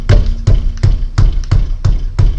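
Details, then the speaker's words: Peugeot 307 front end knocking over cobblestones; dull thuds about three per second as wheel is struck, stopping when part held; front-end knock. "Meu amigo, esse barulho aqui incomoda, tá? Então é esse que a gente vai tirar, beleza?"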